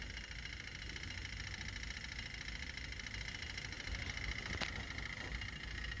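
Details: Toyota Hilux KUN26 diesel, previously low power, no boost, codes P0047 P2564 P2588; idling steady and even with no misses, knocks or surging after the donor turbo driver module is refitted and codes cleared.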